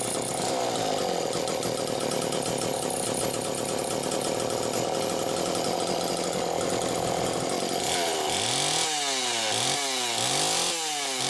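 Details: Chainsaw after repairs, with possible carbon buildup and a small leak noted: strong, steady high-rev scream, then clean blips up and back down with no hesitation. Finding: healthy running.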